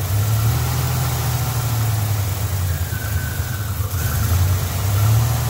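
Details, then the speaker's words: 1987 Buick Grand National, sat over 10 years, first start after new fuel tank, pump and lines: low, uneven, loping idle sagging off idle, won't stay running; rough idle, owner unsure of cause, may check fuel pressure. "Alright, well, I'm going to shut her down, or probably shut herself down. Doesn't want to stay running."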